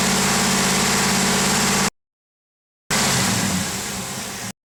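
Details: 2007 Trailblazer SS V8 at idle: fast light ticking over steady engine note; owner suspects lifter tick, not confirmed.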